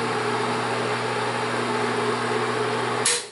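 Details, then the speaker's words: Bell & Howell Autoload 8mm film projector set to 8mm normal speed: steady low motor hum with even rush of cooling-fan air, no scraping or rattle, then switched off; motor and fan fine. "Vamos a encender el motor. Ahí está. Ahí se escucha el motor. Y toda esta parte vamos a sentir una corriente de aire fuerte. ¿Ok?"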